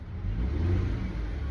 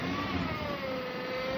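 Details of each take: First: 2014 Dodge Caravan that whined when accelerating; after filter service the whine is gone. Engine revs smoothly with steady low hum and no whine rising with speed: normal transmission operation. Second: Chrysler/Dodge automatic transmission, rewarmed before the noise appeared: high, layered whine sweeping with speed; fluid level checked good, no dipstick; possible causes include a clogged filter.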